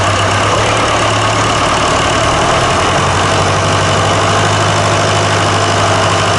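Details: Fordson Super Major tractor diesel running after a replacement engine was fitted, with new filters, hoses, battery leads and a starter solenoid switch: loud, even clatter holding a steady beat with no misses or knocks; picked straight up, running smoothly.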